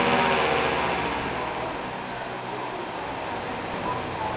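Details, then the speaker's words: Reverse-wired Thunderbolt siren driven by a substitute blower/vacuum instead of a Roots blower; airy siren rush fades as the blower winds down with little agastat timing, and the chopper briefly mutes partway through, normal for this setup. "Something kind of cool is, if you've noticed with how the reverse wired Thunderbolts are, when the blower turns off, when it doesn't have much of an agastat timing, the chopper kind of mutes for a second."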